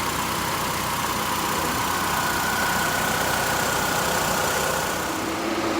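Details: 2012 Nissan Altima idling after serpentine belt and splash guard replacement: steady even hum under a hissy background, no chirp or squeal from the belt; running smoothly.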